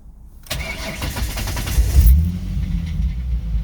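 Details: 2006 Ford Mustang at start-up: cranks into a rough idle with a light metallic rattle; mild at idle, louder accelerating even in neutral and when lifting off in first and second gear; source unknown.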